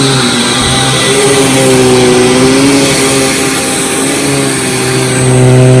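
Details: Hoover WindTunnel Supreme U5468-900 upright vacuum, thrift-store find awaiting refurbishment, with a finicky power switch that turned on while set to off. Steady motor hum with an aggressive, even brush-roll whir grooming carpet, no catches or rubbing: normal running.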